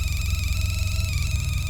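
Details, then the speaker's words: Sea Ray 19 boat, engine running: steady electronic hum with a high whistle comes through the speakers, back-feeding through the amp; amp adjustments change it, owner suspects amp output problem. "that's weird it's back feeding through the amp which I think's probably in here our amp right here"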